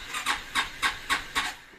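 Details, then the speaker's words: 2016 Yamaha XMAX 250 scooter: starter cranks in a steady hissing rhythm, about four pulses a second, slow to start; owner also notes heavy vibration, knocking on take-off and clutch slipping. "bu kadar geç çalışıyor motorumuz da aşırı bir titreme var"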